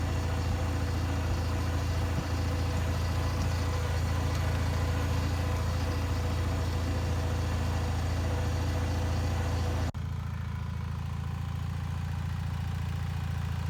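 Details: Bolens HT20 garden tractor on a test drive after repairing a flat rear left tyre; even, steady low drone with no missing, knocking or surging, engine running smoothly.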